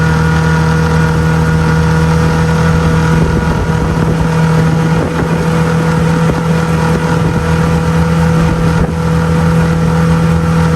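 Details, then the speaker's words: 2002 Lund 1236 jon boat with 6 hp outboard at speed: loud, steady buzzing drone at constant pitch, no misses or surges; held steady 13 after planing, touched 14; running cleanly. "all right it's the next day but the little sixh horse did pretty good did take a while to get on plane but once it did it got up to 13 steady 13 it actually touched 14 a couple times"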